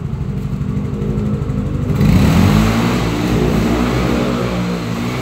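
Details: Yamaha Mio J scooter just reassembled after engine repair: revs up cleanly, holds a smooth, even drone, no knocks or rattles, rear wheel spinning smoothly; normal revving.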